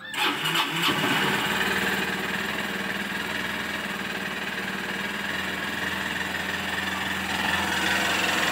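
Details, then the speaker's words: BS6 Honda CB Unicorn 160 motorcycle, just started, with its RPM meter not working. Engine catches quickly, then holds a fast, steady drone instead of dropping to a slow idle, revs reaching 3000–4000 rpm; the idle speed is too high. "और एक और जो चीज़ बता रहा हूँ कि वो है रिब्स, जो इसका होता है ना, काफ़ी ज़्यादा है। आई मीन 3000-4000 RPM तक पहुँच जाती है, देखो"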